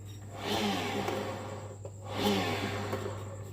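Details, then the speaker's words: Honda Vario scooter rear wheel spun by hand after replacing the dry, grease-depleted pulley bearing that caused a rough growl. Two even whooshing spins with a steady low hum, now smooth and free of growl. "oke sudah halus ya sudahud halus setelah kita ganti bearing"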